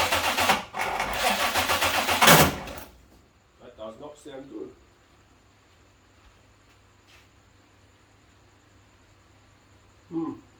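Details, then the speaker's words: Holden Commodore VNSS, first start after rewiring following a bad workshop job: harsh uneven cranking for about three seconds without catching; the distributor cap had been left sitting loose, not clipped on, so no start. "Well, it wasn't as bad as I thought it was. I um forgot to put the cap on at all. It was just sitting on there."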